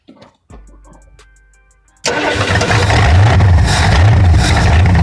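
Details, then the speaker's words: 1968 Ford Thunderbird 429 big block, rusty engine just freed and rockers lashed, running on carb spray: lumpy, uneven low beat, sounds like one or two cylinders missing; owner suspects the carb-spray fueling; engine misfire. "oh man it's so cool well it runs it definitely definitely runs sounds like there it's missing a cylinder or two but that's probably just because of the fuel there season just as carp spray it's not really the best"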